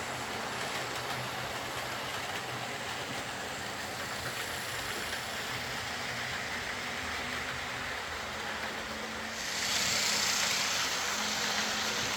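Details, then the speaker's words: Old Lima Class 40 model locomotive in BR green, after repair with a completely replaced motorised chassis (original front bogie faulty, wouldn't run): soft even whirr, steady hiss, no knocks, surges or stalls; pulls smoothly and quietly, normal running. "So there we are, that's Tim's Lima Class 40 running nicely, albeit with a completely replaced chassis."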